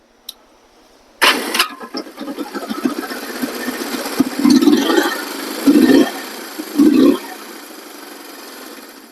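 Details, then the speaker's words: 1973 Honda CB350 twin after a starter clutch rebuild: starter spins briefly, the engine catches and runs with a few throttle blips, and the previous starter clutch rattle is gone. "actually I should say see if you don't hear this cuz it's not making that rattling noise anymore"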